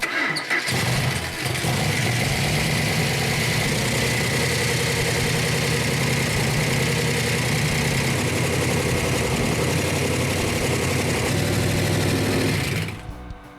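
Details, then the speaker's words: 1971 Dodge Challenger R/T V8 with six-pack carbs on an engine run stand, after the faulty coil was replaced. It catches and settles into an even, steady idle with no misfire; it runs well, though the rockers still need adjusting. "that runs good that runs very good Royal needs to adjust the Rockers but that's beautiful"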